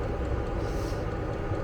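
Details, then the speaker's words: Vevor diesel air heater in a Fiat Ducato van at full power, thermometer near the outlet at almost 20°C: even low roar, steady rumble, no surging, popping or misfiring, interior very hot; normal running at full power. "Lui donc qui chauffe à merveille. À l'intérieur, c'est la fournaise."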